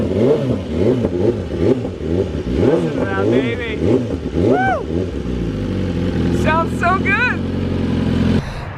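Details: BMW S1000RR carbon build, first start-up: sharp, clean rev blips rise and fall evenly, then a smooth steady idle with no knocks or rattles; healthy engine, later warmed until the fans kicked in, with no coolant or leak issues.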